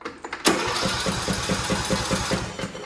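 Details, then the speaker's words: Craftsman T1700 tractor (MTD), Briggs & Stratton engine, fuel confirmed at carburetor, tried choke then fast: steady starter cranking about five compressions a second with no firing; cranks but won't start, failed fuel shutoff solenoid. "Take it down off the choke just in case it is flooded, and put it on fast. Okay, it does not start, confirmed."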